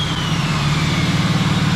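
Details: 3rd-gen diesel truck just fitted with BD Diesel 90 hp injectors, quick throttle blip after first startup: deep rumble rises briefly and stays even, with no knock or miss; healthy engine.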